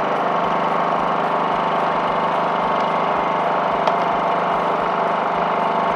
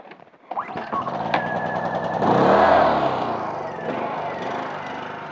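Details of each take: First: Honda 2000 generator that had surged at idle after sitting with old fuel in the tank, now idling evenly at one steady speed after carburetor work and reassembly; surging fixed. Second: Honda 2000 generator left sitting with fuel in the tank. The engine note swells up, then sags and hunts at idle; surging at idle.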